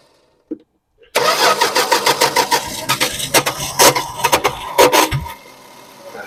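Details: 1974 Dodge Dart Swinger that sat a while, after refueling: starter turns the engine unevenly about four seconds with ragged bursts before it catches and idles; owner suspects sticking starter Bendix or missing flywheel tooth.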